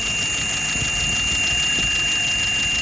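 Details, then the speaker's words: Engine after repair, idling about 700 rpm, vacuum 23, fuel pressure 2.6–2.7: steady idle with faint constant whistle that goes away after a while, no misses or knocks; still dry, running smoothly. "Still nice and dry. Everything's working out."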